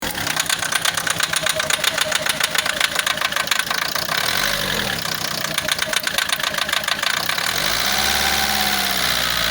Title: Bruit moteur. Rail - عطل وطقطقة فة محرك السيارة اعراض بدأ تلف حساس الديزل